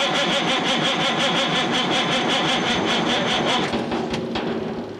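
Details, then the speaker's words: 1987 Kenworth K100 CAT 3406B diesel, unrun about 25 years: cranks about three compressions a second without catching; almost no fuel from injection pump, shutoff solenoid clicks but rack appears stuck. "i'm not getting really any fuel out of the uh out of the injection pump there no"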